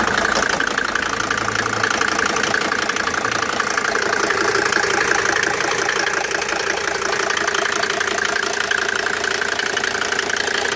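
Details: Mercedes W202 with OM605 turbo diesel idling with a regular knock near three per second and a sharp clatter on top; abnormal engine knocking, cause unknown.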